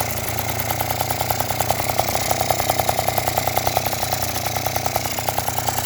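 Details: Yamaha Jog two-stroke scooter that wouldn't start, after cleaning the spark plug and tightening the cylinder head: buzzy idle holding steady with an even pulse and no misfires or stalling; running normally.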